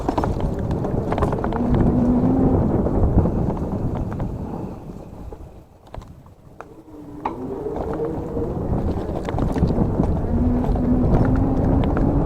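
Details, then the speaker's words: GOGOBEST GF 700 dual-motor electric mountain bike off-road in mode 3 at 30 km/h: loud loose clacking two or three times a second over wind and tyre noise as the mudguards slap against the tyres. "Alors ce qui claque, parce que vous entendez, c'est les garde-boue qui claquent sur les pneus."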